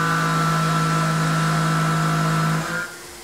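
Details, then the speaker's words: Tormach PCNC 1100 milling aluminum with a Maritool 1/2" 3-flute carbide roughing end mill, 0.3 in depth of cut at 50 in/min (about 1.25 hp per GWizard); deep steady drone with tight whine under load, dropping away as cut ends; more strain, tool intact. "okay you could definitely hear more strain there but again tool is still intact"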